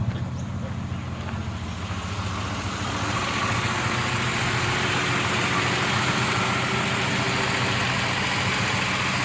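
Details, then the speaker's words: 1973 Plymouth Duster survivor car idling warm with the hood open during a pre-purchase inspection. Smooth and even with a soft, steady ticking "like a sewing machine" and no knocks or misses; healthy. "like a sewing machine doesn't it"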